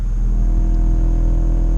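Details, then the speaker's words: 2001-04 Toyota Tacoma A/C blower fan with mice-chewed blades and acorns and debris in the HVAC housing. Turning it up past second speed gives a deep, rumbling drone and uneven whir from junk being churned and possibly the unbalanced fan blade. "there's junk down in there, and then also since it's chewed away on some sides, it's all the fan blade is imbalanced, so that could also be creating the noise."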